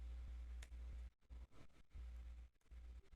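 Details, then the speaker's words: DC motor on an L298N driver powered by a 9V battery, controlled from a Raspberry Pi at 10% PWM duty: a low buzzing hum that cuts in and out while the motor fails to spin. "W, it's hardly running. I can hear the motor making noise, but it's not spinning."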